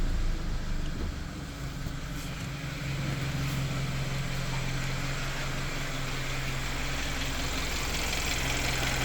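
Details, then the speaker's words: Hyundai Sonata engine at idle, after a no-liquid fix for a tick-tack ticking noise that was loudest at idle. Now a smooth, steady low idle with no tapping; the owner thinks the fix reduced the noise but will recheck whether it returns. "नया अभी sound चला गया तो I think यह solution कम करता है"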